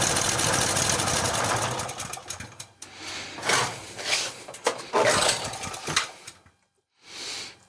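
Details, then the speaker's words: Sportsman generator, unused for a couple of years, started on choke: ragged firing that surges a few times then sputters out; it won't stay running, with weak fuel flow to the float bowl and a sticking float questioned. "All right, it's not wanting to stay running, so I'm going to check again to see if I'm getting gas in the float bowl here."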